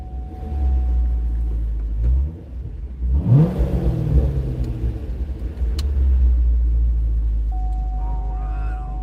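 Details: Recorded driving a car home with windows down: steady low engine rumble pulling cleanly through the gears under road noise, no knocking or ticking; engine sounds healthy, normal running.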